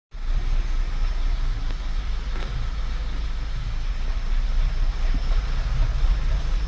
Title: pulse pressure sensor watching misfires 💪